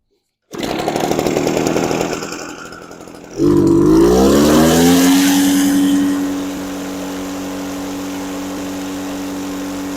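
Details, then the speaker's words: 20-year-old Echo PB413H backpack blower with aftermarket Chinese carburetor, full throttle about 6259 rpm versus 6400 spec, kept from going too lean: climbs to a high steady scream with slight unevenness; mild full-throttle burble. "Because of the Chinese carburetor, you can start this up 3 times. You're going to get a little bit of variation. I don't want to go too lean with it."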